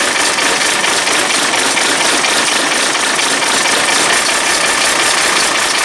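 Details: Bus engine started cold at about 4°C with a little easy start spray: harsh, loud cold idle with rapid irregular clatter over the running engine; knock present, cause not identified.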